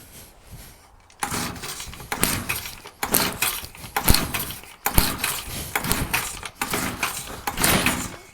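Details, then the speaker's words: Stihl TS350 cut-off saw, first start after rebuild with new cylinder, piston, crank bearings and seals, compression 125: two-stroke revs surge and sag about once a second, bogging; carburettor low and high mixture need adjusting. "excellent we have a working saw um what i'm gonna do now it's just a bit boggy in places i'm gonna adjust a few things"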